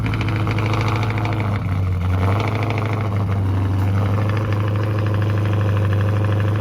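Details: 426 Daytona V8 at idle, which sounded bad after a start in a parking lot: rough, uneven idle with a dull knock and light ticking; owner suspects rod knock, and the oil was black 3,000 miles after a change. Undiagnosed.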